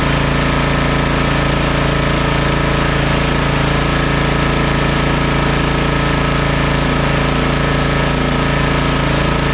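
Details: Toro TimeCutter MX4200 74765 zero-turn, had smoked and died off choke; on fresh ethanol-free fuel with fuel lines refitted: loud steady single-cylinder drone, fast even pulse, no surging or stumbling, running cleanly off choke; earlier cause unknown.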